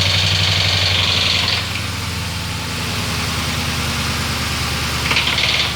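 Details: 2004 Ford Crown Victoria 4.6L 2V after timing chain replacement, at startup: idle with a sharp hard rapping that fades then returns despite oil pressure thought to be built up; cause not found.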